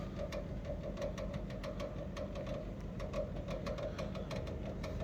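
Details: Electrolux GCB 11 Basic X Fi gas boiler, loud like a tractor: quiet steady hum with uneven ticking and pulsing mid-pitched drone; gas service says the circulation pump is failing, to be replaced.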